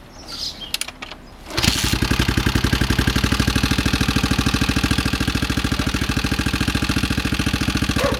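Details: Honda XR650R single catching, then settling into an uneven thumping idle near two beats a second with a clattery overtone; unidentified engine noise, source unclear.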